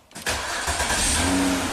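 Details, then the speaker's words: 2006 Ford Freestyle AWD no-crank, bypass test with test light on ignition switch output wire, key on: starter spins briefly, engine catches and runs steadily; starter, relay and junction box good, fault traced toward ignition switch. "We can do the bypass test and key on. This car should start from here."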